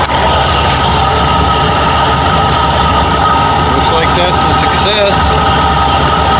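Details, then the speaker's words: Ford F-100 351W V8 with C4, at idle about 750 rpm just after fitting a new carburetor with a thick gasket: steady, loud, mostly smooth idle; owner hears a slight miss and one side louder, a little smoke he believes is oil; normal idle. "now i have to adjust my uh very smooth a little missing in here this side's a little louder see what 750 rpm"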